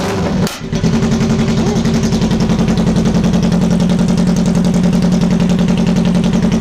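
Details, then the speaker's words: 2006 Kawasaki Ninja ZX-10R with no mufflers, after fuel pump pressure diagnosis and repair, started up: loud open-pipe bark with crisp even firing pulses and clean revs, no misses or rattles; normal running. "sounds pretty good oh neighbors are going to call the cops on me again"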